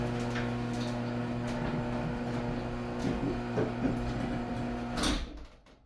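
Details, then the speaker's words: Garage door closing after lubrication with lithium grease: soft even rumble as the door travels down with only light clicks, then a gentle stop. The formerly creaking door now runs smoothly and quietly. "Wow. Amazing. So quiet. Love it."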